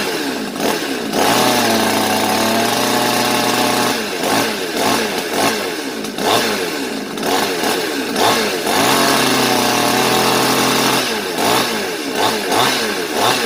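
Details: New Svena 5200 chainsaw that would not start, after carburettor cleaning and high-speed screw adjustment: picks up cleanly through several revs and falls back to a steady idle, no stumbling; running healthy.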